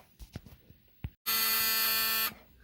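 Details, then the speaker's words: 1974 Alfa Romeo Spider Veloce, 10K original miles, stored 30 years; a few clicks then single steady high-pitched electric buzz about one second; the dashboard warning buzzer sounding, before turning on fuel pump. "That's the annoying buzzer that I have to turn off."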